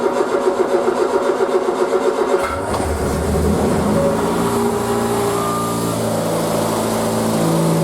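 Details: Triumph Spitfire unstarted 3 to 4 months, choke fully out, neutral: starter cranks quickly with even pulses, catches within seconds, steady fast choke idle; normal cold start and choke idle.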